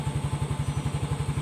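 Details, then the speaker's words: 2018 Yamaha Mio S fuel-injected scooter that had been dying suddenly with the speedometer display going dead, now started: even low putter about ten beats a second, no knocks or misses; normal idle. "Baik, sekarang mari kita uji pada sepeda motor. Mesin menyala. Nah, ini sudah dimulai, teman-teman."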